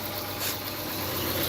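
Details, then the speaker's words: 2010 Dodge Challenger from police auction, jump-started with a weak battery: steady, even idle with smooth hum, no knocks or misses; HVAC actuator door noises heard separately; engine idles healthily. "all right it did start up actually wow it sounds really good"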